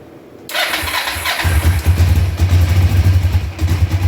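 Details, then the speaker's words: Cold start on choke of a 2004 Kawasaki Vulcan 500, stored two or three years, with old oil and gas drained and fresh petrol added, at about 35–38°F. The starter whirs, it catches at once and settles into a steady, slightly fast idle: a normal cold idle. "all right there we are running on choke right now cuz it's cold about 35 38° here in New York"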